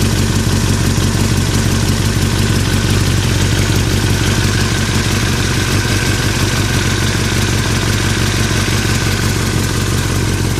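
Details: 2003 Yamaha R6 at steady idle, rattling since a recent trip to Europe: fast, fairly even metallic clatter over the engine beat; owner unsure if normal or if performance is affected; engine rattle at idle, source unknown.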